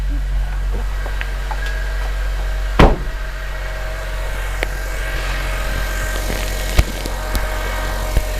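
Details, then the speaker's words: NC Miata with K24 swap ('06–'08 K24), bought from Copart listed as running and driving, fires right up and settles into a steady, even low hum at idle with no knocks or misses; healthy. "I'm and start it up she fires right up runs like a"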